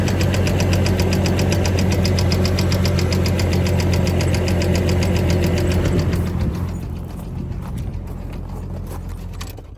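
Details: 2006 Chevy Trailblazer engine running: steady, even knock of about three and a half beats a second; cause undetermined.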